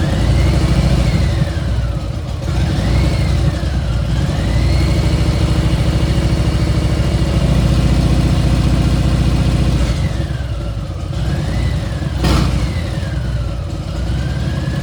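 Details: Milwaukee 8 V-twin, at about 3,700, after new pipes and a dyno tune: loud whine that rises and falls with throttle blips, now 2-3 times louder than when new. Excessive engine whine, source unknown.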